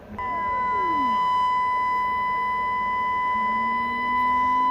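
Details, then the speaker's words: 1941 Crosley 52TA AM radio after a partial recap, fed by a signal generator near 900 kHz: a steady test tone with a whistle sweeping down in pitch, then slowly rising; heterodyne whistle. "we do we get a tone we also get really cool herrine effect you see it does the cool Hine [Music] effect"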